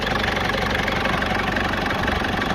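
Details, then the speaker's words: Foton Tunland Cummins 2.8 diesel, first start after injectors repaired to cure a knocking: even, steady idle with smooth rumble and no sharp rapping; knock gone, sounds healthy. "I'll give it a REV now and then we'll hear if it makes that knocking sound again but so far it sounds sounds good sounds really good"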